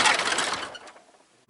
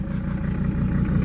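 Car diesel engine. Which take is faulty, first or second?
first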